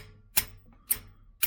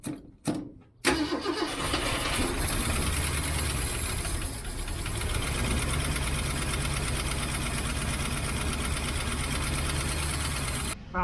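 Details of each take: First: 1967 Mustang 390, chasing a lifter tick: brass hammer tapped on valve tips, three crisp ringing taps about two a second; the hammer bounces back, showing this valve is not stuck. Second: 1967 Mustang 390 V8 cranking and settling into a fast idle, with Seafoam and Rislone added: light quick valve train lifter tick; owner suspects a bent pushrod or stuck valve.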